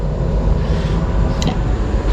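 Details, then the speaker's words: 1970 Chevrolet C10 A/C blower motor running on high: strong, steady low rush of moving air with no squeal, ticking or wobble; blower sounds healthy. "oh yeah you can hear it yeah buddy heck yeah let's go over here so we can feel it on this one oh yeah that one blows pretty good"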